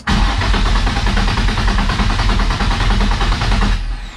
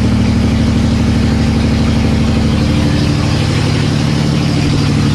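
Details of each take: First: Nissan S13 with VQ35 swap, first start attempts, fuel gauge installed: starter churns nearly four seconds, engine never fires; gauge reads zero fuel pressure, possibly misconnected; crank no start, zero fuel pressure. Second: Nissan S13 with swapped VQ35 engine on open headers with no exhaust, restart after first successful start: loud, steady deep burble, even idle with no misses; normal idle.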